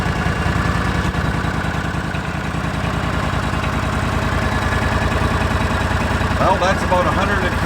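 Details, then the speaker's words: Argo 6x6 with 16 hp Briggs & Stratton V-twin after carburetor cleaning, main jet hole had been plugged with old fuel deposits, choke on: steady even idle, regular low pulse about 200 a minute, no surging. "better than it was no surging at all"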